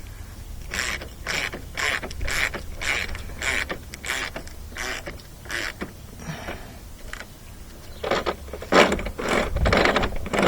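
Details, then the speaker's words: Discarded 2011 John Deere JS26 push mower front wheel turning: sharp repeated clacking one to two times a second as stripped drive gear teeth ratchet past; wheel to be replaced. "all the teeth are stripped out on this one so i'm gonna be replacing it"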